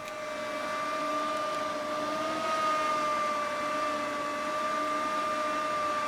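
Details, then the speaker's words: PC cooling fan just after boot: steady whirring tone drifting up and down slightly in pitch; the fan, not the healthiest, struggles to hold its speed. "It's trying, but unfortunately this fan is not the healthiest. You can hear it's having a hard time maintaining the speed."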